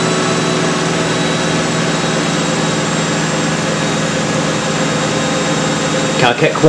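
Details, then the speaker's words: Miele W562 washer, Minimum Iron 30°C with Short and Water Plus, small load of woollens/hoodies; steady even hum, clean motor tone, no thumping or wobble during spin; pretty short final spin but does the job, normal. "there we go so pretty short final spin but it it does the job"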